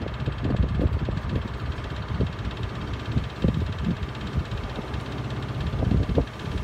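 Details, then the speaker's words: Miele W418 Honeycomb Care 5 kg washer, overloaded with bricks, in 1600 rpm final spin: irregular heavy thumps and knocks in uneven bursts over a low whoosh. Owner suspects a broken spider; the drum wobbles, fine to about 900 rpm. "this one has I think the spider is broken so when you when you rotate the drum it wobbles kind of you know ever so slightly and it's fine up until about 900 rpm spin once you put it on for a 1,600 spin makes a lot of noise"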